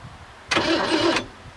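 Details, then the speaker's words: 1967 Mercury Monterey 390 big-block V8, parked since 1992, mouse-chewed wiring repaired and original ignition reconnected; starter briefly whirs, cranking the engine the instant the key is turned to on instead of start: starter cranks with key in on position. "As soon as I turned the key on, she just started uh cranking. That's not right. And that is the engine cranking, is it not? It is."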